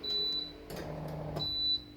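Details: Microprocessor-controlled RO water purifier gives a steady high-pitched electronic beep in short spells over a quiet room, warning that no water is coming in.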